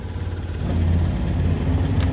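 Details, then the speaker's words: Mahindra Supro diesel after repair of a chafed, broken injector wire (code P0201) and loose common-rail coupler: engine catches and holds a smooth, even low idle without stumbles or misfires; running normally, no unwanted signs. "यह देखिए कोई भी unwanted sign नहीं है देख लीजिए कुछ भी नहीं है"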